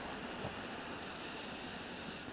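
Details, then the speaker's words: Hi-fi speaker fed through an active crossover, heard up close at the cabinet: a low, constant airy hiss with no hum or crackle. It is crossover noise, quiet but noticeable for home listening; a passive crossover adds none. "Mas para residencial, se a gente quer alta fidelidade, já começa a incomodar um pouquinho, tá? Eu não trabalhei em cima desse ruído para ver se dá para resolver, né? É baixinho, não é muita coisa, mas ele é perceptível, tá?"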